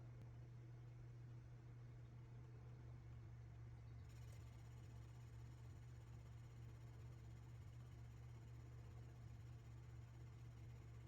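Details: Kenmore washer after repair for loud noise, clutch replaced, final test; quiet, steady low hum throughout with no knocking, banging or grinding; washer spins smoothly and evenly; normal washer spin.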